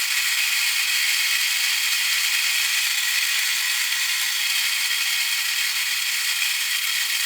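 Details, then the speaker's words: 1966 Addams Family Thing coin bank gearbox on a full 3 volts: a light, even whir with a soft ratcheting chatter as all gears turn normally. "Okay, well that's working. All the gears are turning as they should."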